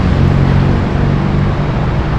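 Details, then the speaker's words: Suzuki Burgman scooter with hard starting, during manual throttle position sensor calibration: steady raised drone holding one pitch without hunting. The idle is far too high. "Ayan Oh sobrang taas mga Master"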